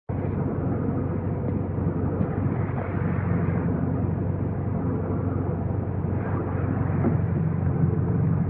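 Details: 2015 VW GTI Autobahn (MKVII): steady, coarse grinding under the engine noise without clear rhythm, present for five months, source not pinned down; grinding noise.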